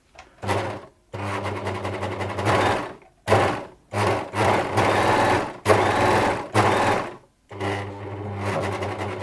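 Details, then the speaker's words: Near-new Bernette 610D serger before service, unthreaded, low speed: short bursts of low hum with rattling clatter; low-speed noise suspected to be just the motor, machine sounds better at full speed. "I think it's more maybe that low speed there. That might just be the motor more than anything."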